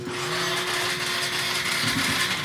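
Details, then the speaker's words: Motorcycle that won't start, key on and push-button start with a still-weak battery: thin, labored starter whirring for a couple of seconds with no firing; cranks weakly, no start. Next checks: fuel pump, spark, compression. "mahina pa rin yung battery niya. Pero ayaw niyang umandar."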